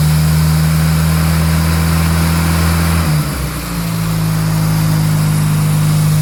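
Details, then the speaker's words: 1968 Austin 1100 A-Series four-cylinder, first start after 3–4 months and mechanical work, engine moderately warm, some choke, carb on initial settings: steady fast idle around 1400 rpm, dips briefly, settles evenly with no knocks or misses; healthy. "and that's how a series are supposed to run"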